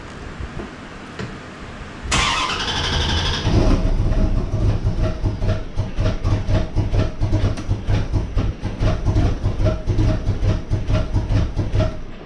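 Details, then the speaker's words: 1994 Chevrolet Corvette C4, first start after Optispark distributor replacement (chasing year-long misfire/hesitation, code 36) and water pump work: cranks, catches after about two seconds, then runs lumpy with uneven stumbling pulses; rough start. "it's not a good start to things"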